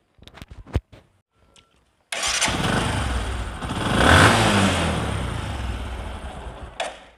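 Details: Discover motorcycle in a clip on mileage and engine sound problems: a few clicks, then the engine catches, revs up smoothly and settles back evenly; a clean start with no knocking.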